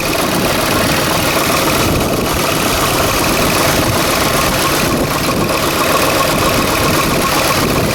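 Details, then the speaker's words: 2010 Ford F-150 4.6 V8, first start after a timing chain and guides front-end rebuild, idling around 1,000 rpm with a loping, stumbling beat. Misfire at idle; owner suspects a broken coil, not confirmed, and may check vacuum lines. "I got a mist, and I bet you it's this coil here that's broken, but that mist may go away."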